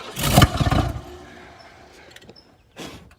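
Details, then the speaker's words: Ford F-150 sat about ten years, fuel at least 10 years old, cranked with throttle held open and carb cleaner sprayed in: short loud burst as it catches briefly then dies; fires on spray but gets no fuel, fuel starvation no-start. "the gas in here is probably at least 10 years old Jim"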